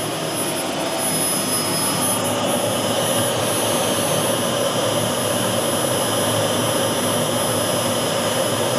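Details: Boomerang Atom / FTL Lancer RC jet turbine, engine run on a new fuel system with vectored thrust: steady, even roar with a smooth high hiss, no surging or rattles; runs smooth with a good throttle band and lots of power.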